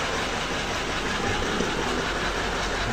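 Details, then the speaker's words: Toyota Land Cruiser V8 1VD-FTV diesel with hard starting and smoke, after injection retiming: starts readily, steady even diesel clatter at idle with no misses or stumbles; normal diesel idle, still some smoke. "Tingan natin k yun andar na hindi na mahirap pa andarin Ayun oh '"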